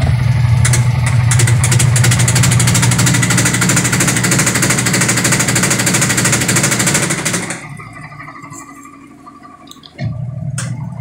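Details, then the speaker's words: Sharp automatic washing machine, over 10 years old, spin-drying: loud rapid banging and rattling over motor drone, about three bangs a second, as the wobbly defective tub assembly strikes the housing. "Yan, sobrang mapalag yung kanyang tab, kaya bumabangga siya, kaya nag-iingay siya."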